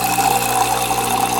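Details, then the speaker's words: Saeco Intuita superautomatic espresso machine in test mode, pump activated with electro valve routing water to the steam wand: steady buzzing pump hum with a high whine near one kilohertz and water rushing through; pump working normally, button LED blinks with flow meter revolutions. "my pump is working exactly and the other cool thing to notice here is when you hit pump the LED on this button will blink"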